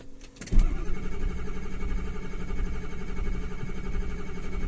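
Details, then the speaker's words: 2006 Ford F-350 6.0 diesel, cold in snow, after ICP solenoid and pressure regulator replacement: starter spins evenly but never fires; ICP only 400 psi vs 1688 desired at 85% regulator duty cycle; suspected high-pressure oil leak or defective regulator; cranking no-start. "if we give this a little sniff of ether it'll start there must be a high pressure leak in the system some place or that pressure regulator is defective"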